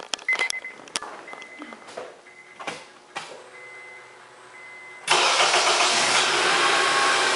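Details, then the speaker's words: 2004 Honda Accord after replacing the PGM-FI main relay, which clicked during slow, dragging starts; mic outside with the hood open: brisk, even cranking that quickly catches and settles to a steady idle, no lag. "So here we go. Nice and smooth, no lag."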